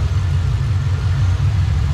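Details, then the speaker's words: Drift car after a tune, spark plugs checked, ticking noise now gone, before warm-up and thermostat bleed: deep, steady idle with an even low rumble, no ticking or misses. Sounds healthy. "all right so now that the ticking noise is gone uh now we're gonna let it warm up"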